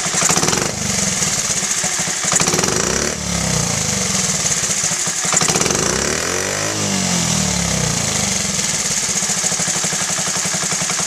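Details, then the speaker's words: Honda Z50A Mini Trail 50 single, freshly rebuilt carb, pilot screw just set: a throttle blip revs up crisply and returns to idle without dipping, so it is not too rich, and without bogging, so it is not lean. "and the idle came right down. It didn't dip. If it dipped, it'd be a little too rich. And there's no bogging, so it's not lean."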